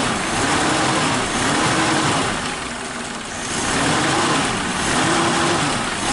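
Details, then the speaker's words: Suzuki Katana carburetor after cleaning, engine warm, clutch pedal pressed to reduce load: idle air/mixture screw set too tight, giving a slow, soft idle that sags and recovers, lean and low idle speed; loosening it raises rpm. "terlalu kencang ya setelan anginnya, jadi putaran mesinnya itu rendah, terlalu hemat."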